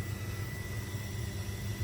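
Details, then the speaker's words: Fuel pumps priming a newly installed surge tank and fuel lines during a leak test, with fuel pumping in and flowing back on the return. A quiet, constant hum with a steady thin whine: running normally. "but I can hear it I can fill it yeah it's pumping in on that one it's going back on that one"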